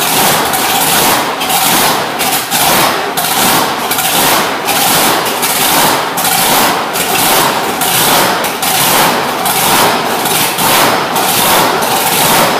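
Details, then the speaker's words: Road Runner V8, just finished and fired up in a shop on a cold day: a loud, lumpy, steady uneven idle. The timing and idle fuel are not yet set, so it runs and holds idle but still needs tuning. "yeah i also got to set the timing on it and stuff you know set the set the fuel at idle things like that i just fired it up just to see if it would run and idle and uh it did"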